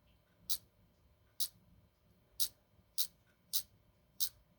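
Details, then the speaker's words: Ford EEC IV distributor rotor button shaken by hand: six sharp, dry clicks about once a second from a loose internal connection; a good rotor should not rattle. Loose rotor button rattle. "This is for a Ford, but it shouldn't make that noise unless there's a loose connection."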